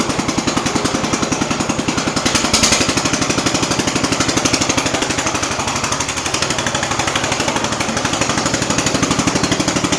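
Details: Jacobsen Chief 800 garden tractor under restoration, started on choke with idle turned up: fast, hard chuffing that stumbles and surges, unsteady idle; owner concludes the carb needs adjusting, likely fuel mixture.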